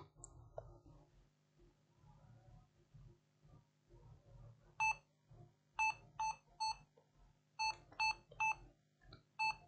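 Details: Lenovo ThinkPad Yoga 11e with no display, powered on the bench: short, high beeps in irregular groups of two or three in a quiet room; repeated POST beep, RAM swap being tried, cause unknown.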